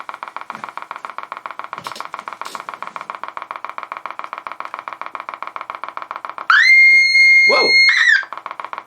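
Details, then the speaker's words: Kriesler 11-20 valve radio on first power-up, brought up to 200 volts. A steady, rapid putt-putt of roughly four beats a second from the speaker: low-frequency motorboating oscillation in the audio stage; the cause is unknown at this point. "bring it up to 200 volts oh yeah we've got some life motorboating"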